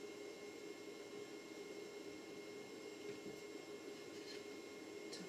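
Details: Humax Freesat receiver audio feeding a Triax Tri-Link RF modulator gives a steady thin high whine and a fainter mid tone over hiss; high-frequency noise from the Freesat output gets modulated, fixed with a simple low-pass filter.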